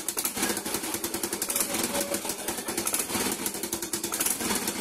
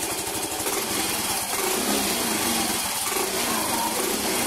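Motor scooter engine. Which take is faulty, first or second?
first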